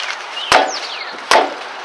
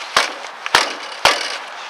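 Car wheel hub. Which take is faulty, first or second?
first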